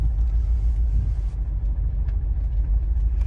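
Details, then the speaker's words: Opel Zafira B 1.9 diesel (owner says 120 hp): deep uneven rumble, engine lugs, stumbles and stalls when put in drive/reverse or uphill; won't pull below 2000 rpm, fine above, no active faults; two injectors not firing, causing misfire and stalling under load. "от вона або давайте передню передачу першу драйв і вона наче як е вона під горку не може їхати і вона глохне"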